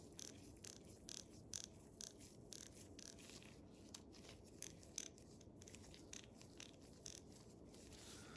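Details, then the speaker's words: Craftsman 43784 ratchet after cleaning and regreasing with Superlube, worked back and forth to spread grease on the gear teeth. Crisp, even ticking bursts with no grinding or skipping; healthy ratchet mechanism. "let's give it a final listen work it back and forth just to get that grease spread around the gear teeth let's listen to this"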